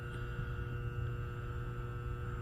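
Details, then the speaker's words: A2 pinsetter motor contactor (reed-style relay) energised: steady electrical hum but the motor never starts. Suspected burnt contacts or a bad coil, not confirmed. Contactor hums but does not pull in. "But yeah, relay's humming. and I can hear it, but it's not uh turning this motor on. So, may have some burnt contacts on uh on that read style relay."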